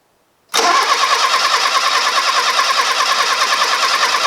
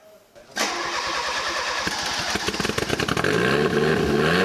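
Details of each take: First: Fiat Uno Turbo stored 16 years with rodent damage, engine known to turn by hand. It cranks steadily at about three turns per second with even compression pulses but never catches or fires. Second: Fiat Uno Turbo stored 16 years, first start after restoring spark: a few seconds of cranking, then catches and runs evenly with no misses, smelling rich; normal start.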